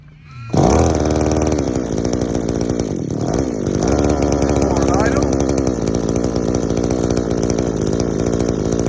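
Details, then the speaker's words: Two-stroke strimmer powerhead on the bench during carb tuning: screams at high revs with a blubbery, uneven edge; too much fuel, high-speed screw set rich, idle set higher than it should need, before warming up. "okay i think we're getting a bit too much fuel so we're gonna go bring that in because the idle shouldn't have to be up that much"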